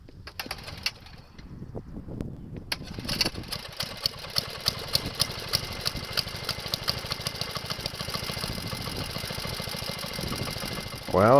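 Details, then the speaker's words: Wheel Horse 704 garden tractor Kohler engine, restarting warm with choke applied when not needed: uneven cranking and stumbling firing before it catches into a rough run; hesitant restart from over-choking. "was choking it when it didn't want to be choked. I'll have to get used to how to start it each time."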